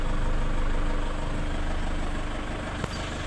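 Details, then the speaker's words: 2005 Toyota Innova previously not cranking or starting, during troubleshooting: steady smooth idle after starting without knocks or misses; battery voltage did not drop too low, battery and alternator in good condition. "Umandar na. Okay lang. Hindi naman siya nag-drop ng sobrang baba at good condition pa iyung battery."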